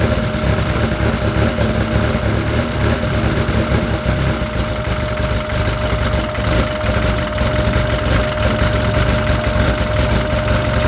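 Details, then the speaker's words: Freshly installed engine on its first heat cycle, filled with about six quarts of Rotella T4, coolant being burped, at about 110 degrees. Steady, even idle with a smooth low rumble and a faint constant whine; no knocks or misses. Sounds healthy. "so this is one we'll do it two more times to make sure we got all the air out but it sounds great"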